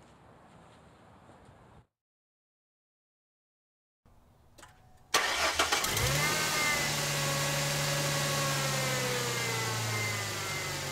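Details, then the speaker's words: 2002 Ford Mustang 3.8L V6 automatic, 105k miles, stock exhaust, before shorty headers: cranks and catches, idle with quick sharp ticking over exhaust note from leaky passenger-side exhaust manifold. "it does have the uh factory exhaust leak installed so the passenger side manifold is leaky uh and you'll hear that in a moment when we start it up"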